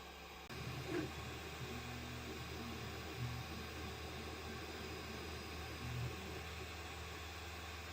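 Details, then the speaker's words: Sovol SV06 3D printer after replacing failed linear bearings with Igus Drylin RJ4JP-01-08 self-lubricating slides, printing in an enclosure: steady soft hum and faint even whir, no knocking or grinding; much quieter normal motion. "That is definitely much quieter than it was."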